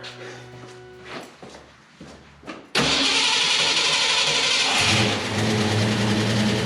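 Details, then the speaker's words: 1966 Mustang with factory V8 and 4-speed, cold morning start on a newly installed Edelbrock 1406 carb with electric choke: fires almost at once and settles into an even fast idle with a light lope. Idle mixture, fast idle and choke are not yet adjusted. "okay well um i still have some work to do with the idle mixer screws and the fast idle and all that stuff and then just in the uh the choke here it's still cold in the mornings"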